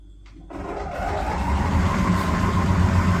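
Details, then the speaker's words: Electrolux PerfectCare 800 EW8H458BP heat-pump dryer after six years: low droning rumble builds as drum spins up, fading after a minute or two but getting louder over time; worn drum support rollers, replaced. "dźwięk nie jest zbyt przyjazny Natomiast po uruchomieniu dość szybko mijał po jakiś minucie dwóch o tyle było to niepokojące że stawała się ona coraz głośniejsza"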